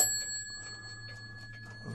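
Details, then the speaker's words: Restored antique Sessions eight-day mantel clock: a single clear bell strike at the half hour decays cleanly over soft ticking; strike train working properly. "Go down to the half hour. You hear the bell"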